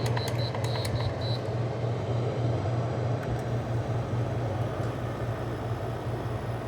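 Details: LG 6000 BTU window air conditioner with GMCC rotary compressor starting on low: steady low hum, a few high chirps early on, faint refrigerant hissing; normal start-up, lines icing and air coming out cold.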